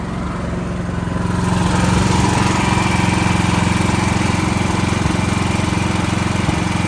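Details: Backup generator running during monthly life-safety test, even steady engine drone settling after the first second, no misses or knocks; normal healthy running.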